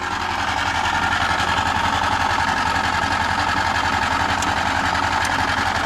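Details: Antique tractor, hard cold start after too much gas: small engine chugs along at a few beats a second but the beat stumbles and wanders; rough running after hard start.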